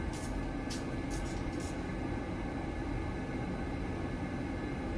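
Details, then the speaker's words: Buderus G115 triple-pass boiler with Carlin burner (cover on), running during a long-overdue service: steady even roar of burner fan and flame, no pulsing, rumble or whistle; quiet, normal burner operation. "That's how quiet that is. It's quiet. That's one thing I do like."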